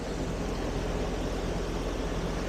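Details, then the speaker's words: Older Grand Air heat pump outdoor unit, not cooling properly in a home under renovation, with the compressor growling; the cause was drywall sanding dust clogging the filter and indoor coil, restricting airflow. "So hopefully that's not the case, but we'll stop by, take a look, see what we can find for them. Sounds like I hear the compressor growling."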